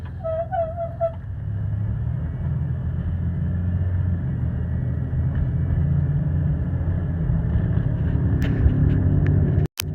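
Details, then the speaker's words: Chevy Impala Copart project car, first test drive under its own power after driver's side rear suspension repair: a deep steady droning growl under road noise at constant speed; suspected worn rear wheel bearings, unconfirmed. "there's definitely a real loud growl coming from up front so looks like it's gonna be time for some new bearing hopes"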